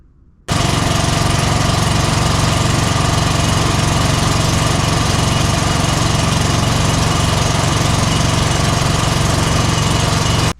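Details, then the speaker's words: Exmark 52" Pioneer S zero-turn, Kohler KT720 (7000 series) twin, running rough, low power, popping, bogging under load: rough, uneven loping chugging, missing on one cylinder; no good spark even with kill wire off; failed ignition coil. "without the kill wire being on there we are still not getting a good spark that's telling us that that Co coil is failed"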